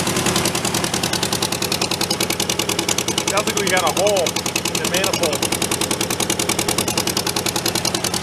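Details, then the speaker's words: Homemade tractor with air-cooled Volkswagen flat-four, long-stored, just started after oil-leak repair, not yet warm: idle with sharp fast puffing tick about three per second; exhaust ticking, owner suspects header pipe leak, unconfirmed. "I think that header pipe in there has got a leak somewhere definitely not as placky though"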